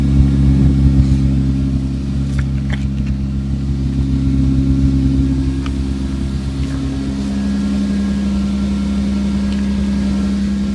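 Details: 1998 Toyota Sienna at idle with exhaust pouring out the side near the muffler as well as the tailpipe: raw, blatty low rumble pulsing about four times a second, louder than stock; exhaust leak at muffler.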